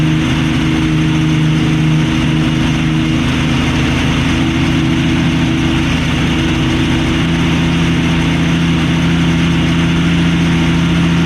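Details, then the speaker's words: 1965 Mustang straight-six after new spark plugs, idle jet at a quarter turn: a steady, even idle with no obvious stumble but noticeably fast; starts and sounds better, but idle speed is too high. "Sounds better, starts better, still idling way too fast, and I have that idle jet at a quarter"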